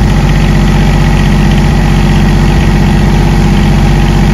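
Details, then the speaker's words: PRAMAC GSW10 diesel generator after replacing the bad cranking relay behind its start-fail alarm: a steady, even diesel chug at idle with a low beat of about two per second; running smoothly and healthy. "and there you go the generator cranked started and it's run"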